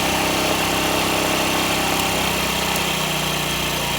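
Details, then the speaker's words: Honda Ruckus single-cylinder scooter with a new fuel pump, once the carb bowl filled, not yet warm: steady even idle, a little high, with no stumbles; normal idle, later lowered. "Just had to wait for the carb bowl to fill up. So it sounds like the idle's a little bit high. Maybe it needs to warm up a little bit."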